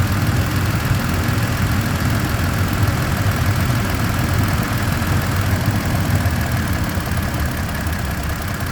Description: 1. High pitched ticking sound starts @ 0:09 and stops at 0:26 seconds, same sound restarts @ 1:54 sec and ends at 2:15 secs.